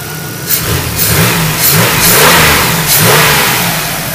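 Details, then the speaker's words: 2001 Chevrolet Monte Carlo SS 3.8L 3800 Series II V6, 314,159 miles, after upper/lower intake manifold, valve cover gaskets, thermostat and coolant flush: revs up and settles smoothly, no knocks, ticks or misses; slight degreaser smoke; sounds healthy. "got a little smoke in here but that's just the Degreaser I had on the engine before I pulled it off I got to pull it out and get that that's right up other than that sounds pretty good"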